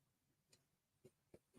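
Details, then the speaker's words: Embroidery machine during stitching: four faint, sharp clicks at uneven intervals over a quiet background; an unexplained clicking noise, cause unknown. "I don't know if y'all heard that clicking."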